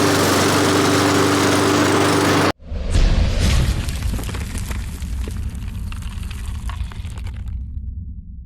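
After a loud burst the mower settles into a steady, even drone that slowly fades, with no stumbling or misfires: running fine.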